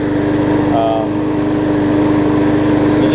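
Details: New, unused 2013 Murray push mower single-cylinder engine, after removing a hard piece of rubber stuck in the intake valve that had caused lost compression: steady, even drone at constant speed with no misses or surging; runs smoothly.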